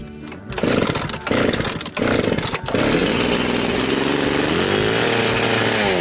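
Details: Very high-hour Echo CS-670 chainsaw after an ignition fix, with an orange bar fitted: a few choppy throttle blips, then a strong, steady high rev with smooth pitch swell; runs healthy.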